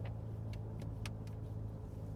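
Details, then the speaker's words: Vehicle at road speed: steady low drone under road noise that shifts as throttle goes on and off, moving rear diff backlash; bearings suspected going, now worn rear differential crown and pinion. "but now the crown and pinions is going because I can play with it on and off the accelerator I can play with the noise and what I'm doing by the accelerator is moving the backlash on the rear diff on and off"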